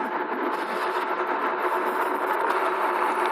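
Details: Ride1up REVV1 DRT electric bike, new, first test ride cruising straight on pavement: faint steady mid-pitched motor whine under tyre and wind rush; normal, quiet motor hum.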